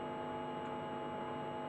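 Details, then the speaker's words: Standard Hi-Fi record player amplifier after capacitor replacement, on a bench supply and connected to a laptop: a steady low buzzing mains hum with nothing over it, blamed on the makeshift bench setup. "okay so it's going to be a little bit going to be a little bit buzzy because of the way we've been at our room just washed up"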